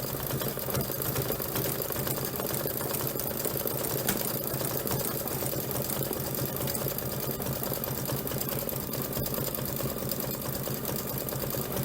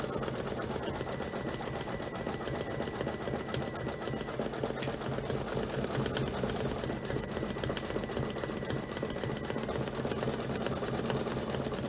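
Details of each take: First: Embroidery machine stitching a hoop sampler with a needle thought fairly new; steady stitching about seventy per minute with a rough, uneven edge to each stroke; dull, worn needle. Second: Embroidery machine stitching; fast even chatter about three to four strokes a second, no knock or drag; normal stitching.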